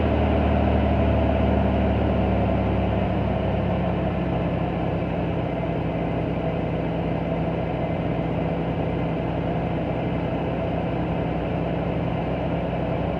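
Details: 21-year-old stock Toyota muffler with a hole along the weld seam, loose flap held with sheet metal screws, before epoxy putty patch: deep, loud rumbling idle with a raspy, uneven exhaust note from the leak.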